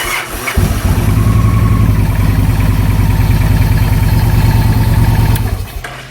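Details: 2009 Victory Vision with intermittent no-start in neutral, neutral switch signal jumpered to ground for testing: brief crank, then the twin catches and settles into a steady, even thumping idle before shutting off; starts and runs normally.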